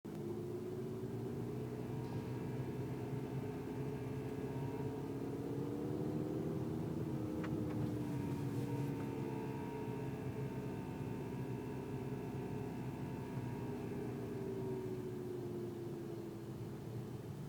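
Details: 2012 Golf GTI Mk6 petrol engine: droning buzz that rises and falls with revs around 2000 rpm; owner says it is not the known wastegate rattle, cause unknown.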